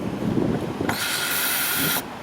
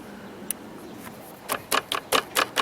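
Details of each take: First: 2012 Jeep Grand Cherokee Overland Hemi with intermittent crank-no-start and no fuel pressure, TIPM suspected; fuel pump relay toggled on from the factory scan tool, key on: a steady high whir starts, holds about a second, then cuts off, so the pump runs. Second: Jeep Grand Cherokee that cranks but won't start, with no fuel pump pressure. During the actuator test the fuel pump relay clicks about a dozen times, roughly five a second, but the test light stays off and there is no pump output. The TIPM is suspected.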